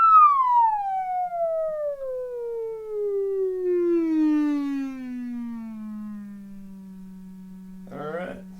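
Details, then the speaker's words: 1935 Philco 54C field-coil speaker with patched cone, field coil at 40 mA, about 117 V DC: clean tone gliding from high pitch to low hum, no rattle or buzz; audible roll-off noted a little over 6,000 Hz; plays fine. "I'm starting to hear losing about 65 you may hear it I don't know I started hearing about there's where I start hearing it that's a little over 6,000 Hertz"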